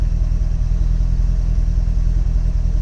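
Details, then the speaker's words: 2008 Chevrolet Corvette C6 LS3 V8 idling with a deep, steady, even rumble after replacing the spark coil for a random misfire on two cylinders; vibration gone, check engine light off, no trouble codes. "No more vibration and check engine is off."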